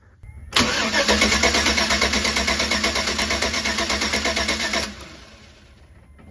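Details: 2013 Chevy Tahoe 5.3 LS V8, crank no-start: even starter cranking near three compression pulses a second for four seconds, never catching, with spark tester lit; spark confirmed, so no fuel pressure suspected.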